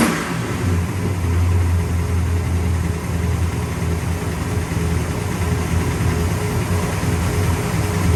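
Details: 1966 Pontiac GTO convertible V8: steady, even burble with a deep smooth rumble, no misses or knocks; engine sounds healthy and runs cleanly.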